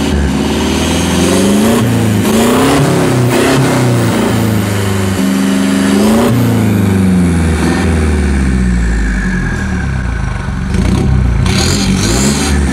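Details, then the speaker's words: New 2021 Toyota Hilux diesel, 1,700 km, after Bilstein and OffShox shock install: several smooth rev blips, pitch rising and falling cleanly with throttle, no knocks or misses; healthy engine. "Vamos escutar a melodia? Certamente que sim! Então vamos! Vamos escutar essa melodia! Acelera!"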